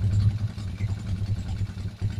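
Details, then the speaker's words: Single-cylinder motorcycle on a smaller capacitor only, signal and mini driving lights on: low, steady idle with no stumbling or dropout under electrical load; normal idle, doesn't stall. "Mini driving light tayo. Naka-signal light ha. Mini driving light. Ayun siya kasaya no. Hindi namamatay."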